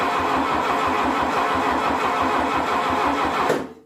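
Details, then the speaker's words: 1972 VW Beetle 1200 engine, laid up for decades and test-run sitting on a tire: even starter churn about three and a half beats a second, no firing. Spark is present, but the carburetor is not drawing fuel. "okay it's not drawing fuel yet let's even get some more into the curve"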